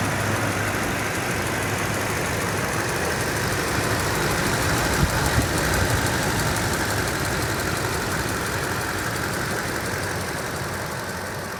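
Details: 2007 Toyota Tundra 5.7L V8 at 170,000 miles, warm idle with light regular tick, mainly driver's side, rising with RPM; unchanged by Moly additive or switching 0W-20 to 5W-30 oil; dealer calls it normal.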